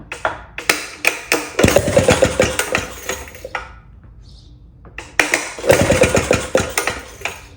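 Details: 1937 Maytag Model 92 single-cylinder two-stroke, bolted to 2x4s, running after gas tank and mixer cleaned: sharp irregular pops in bursts, short pause, then firing picks up again; runs well, started easily.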